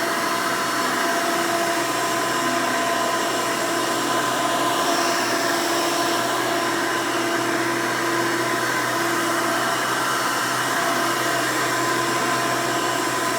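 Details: 1992 Hoover Elite II Total System Performance 650 upright vacuum, model U4689-910, in floor mode: steady even motor whine with no wavering, rattles or grinding; motor runs smooth, untouched since purchase.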